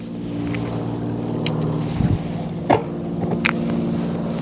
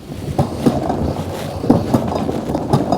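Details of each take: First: 3, 2, and the 1, the highest level. And as you can see there, no problems and no noise. So that's how you want it to be when you're shifting those gears. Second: 2024 Wired Freedom e-bike, SRAM/Shimano-type rear derailleur: sharp ticks about once a second over the drivetrain whir because it won't click into first gear. Misadjusted cable tension/indexing fixed by turning the adjuster counterclockwise.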